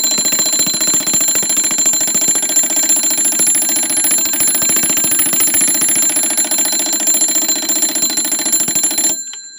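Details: Seth Thomas automatic 8-day long alarm clock on the 89 movement (used c.1900–1930), following patent US926454: rapid continuous bell clatter, three or four strikes a second, ringing steadily until silenced by the lever; normal alarm bell ringing.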